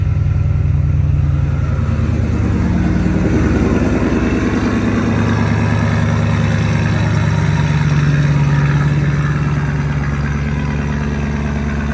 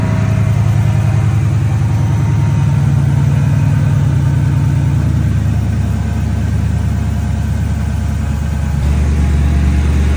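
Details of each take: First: Ford Mustang S197 drift car, low on gas: deep, even burble holding a steady idle with a brief light rev and no stumbling; already running a lot better, owner plans a tune. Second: Ford Mustang S197 drift car, neglected issues, idling before plug and oil change: low idle with an uneven, lumpy pulse three to four times a second that never settles; engine running rough.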